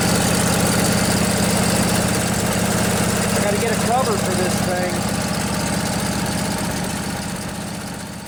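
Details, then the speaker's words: Briggs and Stratton Intek twin-cylinder 20-25 hp engine in a riding mower, junkyard revival, just started with a little choke after the fuel pump filled the float bowl: regular chug at steady speed, easing off toward the end, no misfire; normal running. "It's got to fill up the float bowl, remember, so it'll take a little while. Pumping fuel. There we go."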